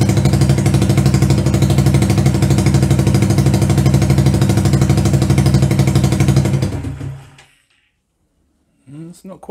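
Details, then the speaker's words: 125cc CCW Sinnis Heist hardtail chopper under rescue: small single thumps at about three beats a second, then it fades and stalls after seven seconds; it will not idle on its own. "let's see if we can get it idling by itself right screwdriver it's going to adjust the uh the float height in here"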